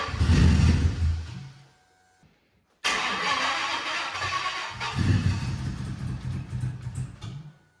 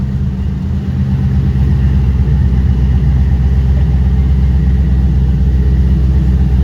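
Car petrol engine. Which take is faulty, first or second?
first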